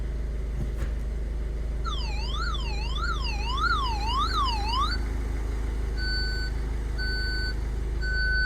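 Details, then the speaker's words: Ford Fiesta Titanium, engine idling, in reverse: warbling electronic tone then repeated beeps about once a second, light flashing; parking sensor module in boot suspected damaged by moisture from water leak, unconfirmed. Parking sensor warning alarm. "And that just flashes. So it's like an alarm or something. So yeah, I read up on online, and there's a lot of forums out there, and they're all saying it's to do with the parking sensor aid, which is in the boot."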